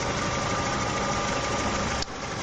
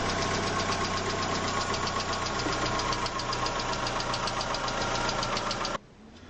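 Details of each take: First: Petrol engine after hydraulic lifter replacement: smooth, even idle with no valve-train ticking; the faulty lifters had been found by pressing them with a finger. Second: Как узнать какой гидрокомпенсатор стучит😈💪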